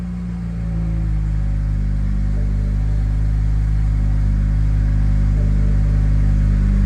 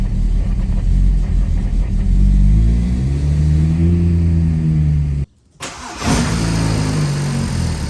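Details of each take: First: BMW 335i N54 single turbo after flashing the E85 tune, started on E85 with coolant about 79 or colder: it catches and settles quickly into a smooth, even low idle without misses or hunting. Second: BMW 335i N54 single turbo, cold start with E85 in the tank on a tune made for E30, no port injection or B58 coils: it surges and hunts, briefly dies, then catches again; fuel doesn't match the tune.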